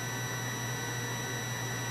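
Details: Continuity tester on a relay switching an inverter via a Victron Smart Battery Protect (220 A), with a 12 V bulb loading a weak battery. A steady, unbroken high tone throughout shows the relay contacts are still closed, inverter on, before the 90-second cutoff.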